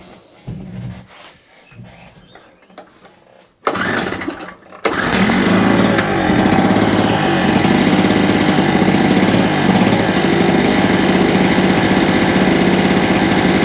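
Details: Salvaged small two-stroke generator, after new NGK spark plug and carburetor clean (replacing old plug): fires after a few pulls and holds a steady, even fast drone with no misses; normal running.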